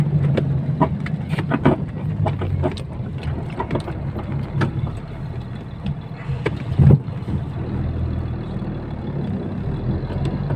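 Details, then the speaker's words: KamAZ 65115 truck hauling snow, heard from cab over rough ground: irregular sharp knocks and squeaks over low engine rumble from the cab hydraulic locks behind the seat; worn cab lock hook and pin. "вот друзья вот такие были скрипы hydra звонков"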